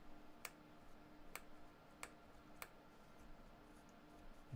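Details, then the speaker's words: Late-1960s AWA transistor pocket radio: four sharp loud clicks from the speaker over quiet hiss, no station received; output amplifier stage is working. "can hear it clicking, but Oh, that hurt. That was really loud. So the again the amplifier is working."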